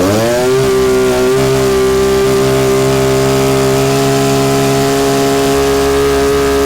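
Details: Stihl HS 81R hedge trimmer two-stroke after cleaning the plugged spark arrestor and refitting the pipe; picks up quickly and holds a clean, steady high-pitched buzz at high rpm without surging, running healthy.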